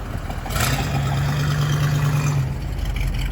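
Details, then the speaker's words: 1969 Chevy C20 pickup V8 with Turbo 400 transmission, cruising under light load about 5 miles into a road trip after an oil change with thicker VR1 oil and lower level to cure lifter noise: steady drone, no tapping or lifter clatter. "all right I guess I've cruised about 5 miles out of Boulder City and no LIF or clatter yet hopefully it stays that way"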